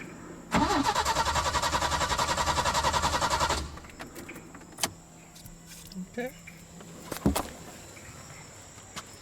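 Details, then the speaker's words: 1986 Peugeot 505 V6, intermittent no-start; other ignition coil and ignition module tried without change, owner suspects a bad wire: steady cranking about three seconds without catching, then quiet with scattered clicks. Cranks but fails to start. "that's how I've been doing with it. Something wrong with some wire somewhere. I don't know."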